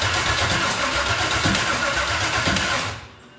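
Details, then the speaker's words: V8-swapped GMC Sonoma, off the road since October 2005, first start attempt: even cranking about 167 pulses a minute, no catch, starter drops off; valves suspected adjusted too tight, spark timing or loose plugs suspected, unconfirmed. "I mean it's making fire it's just making fire and making it at the either the wrong time or make sure all our plugs are all on tight"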